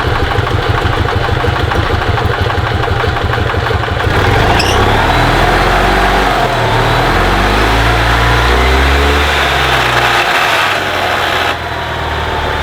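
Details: 2002 EZGO TXT gas golf cart that wouldn't crank, after repairing a broken wire: single-cylinder engine chugs evenly at idle, then revs smoothly with a steady beat; sounds healthy.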